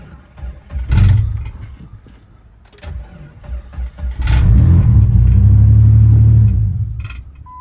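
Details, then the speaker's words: 2001 Jeep Grand Cherokee WJ with newly cut blank key, original chip held by reader: cranks, catches, runs about two seconds at low rumble then dies; only SKIM immobilizer code shown, cause unconfirmed, suspected key not being read. "so as you can see it just dies as soon as we get to turn it on i'm not really sure why it's doing that"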